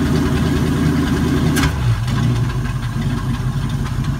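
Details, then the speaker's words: 1979 Ford F-100 Custom with 302 V8, headers with a few feet of open exhaust pipe, needs carb work, burns no oil: after a throttle blip it drops back to a steady, even idle with smooth low burble; sounds healthy. "There we go. There's what she sounds like now."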